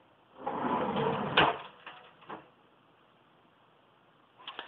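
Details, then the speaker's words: Plain kitchen drawer without the soft-close closer, shut by hand: a sliding rumble ending in a sharp bang and a couple of smaller bounces. It slams louder than the soft-close drawer. "However, if I were to shut it, it bounces and it's a lot noisier. This one here. That's a little louder and it's more obnoxious."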